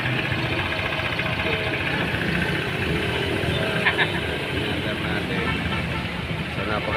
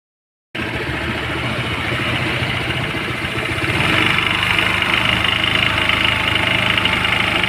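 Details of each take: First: New Honda ADV scooter, 41 km, returned after one day for a noisy CVT with strong dragging and vibration; after cleaning the CVT, it runs with a steady, even drive sound, no grinding or rattling. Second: Brand-new Honda ADV scooter, one day old, 41 km: loud raspy whir and rattle from the CVT belt side at idle, with strong clutch drag and vibration.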